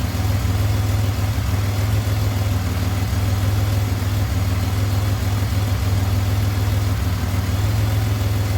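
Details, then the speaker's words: 2007 Pontiac Grand Prix V6 idles smoothly and evenly with deep steady pulses after valve seals failed and reman heads with stainless valves were fitted; no longer burning oil, only a faint lifter/rocker top-end tick; normal idle. "a little boy not burning anything off the power logs anymore they're like the lifters or the Rockers are just a little bit noisy sounds good"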